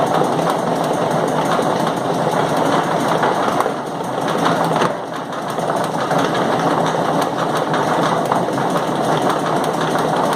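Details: Periodic loud knocking over steady dense mechanical clatter, especially loud at 0:05, 0:33, 0:45 and 1:13; the chain takes roughly one minute per full revolution, and the cause is unconfirmed.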